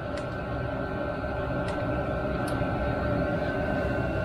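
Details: Chinese 5 kW diesel air heater nearly at full temperature, about 178–180 degrees internal: steady even blower roar with faint constant whine, no knocks or surging; normal running.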